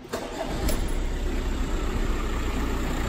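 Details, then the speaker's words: Audi A6 Avant diesel after a mini service with a new fuel filter and engine mount, feared to cut out: brief crank, catches at once and settles into a steady low idle without hunting or cutting out; healthy. "Right, so that's the Audi done. It didn't actually cut out, it just kept running."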